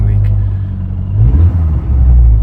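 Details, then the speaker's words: Dodge Daytona Turbo Z, first start after rust/floor repair, new fuel system and timing belt: steady deep even rumble held at raised speed, high idle; owner suspects stuck IAC or vacuum leak, not confirmed. "got a high idle though i got to fix that like almost seems like the iac is stuck or there's a vacuum leak"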